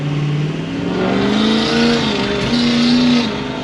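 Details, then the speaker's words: Ford 6.0L Powerstroke after replacing the faulty exhaust back-pressure sensor: same roll into the throttle now climbs smoothly and strongly without hesitation, power restored, normal full-boost acceleration. "yep, she's got the power back. That was the same roll into the throttle that I did with the bad EBP sensor."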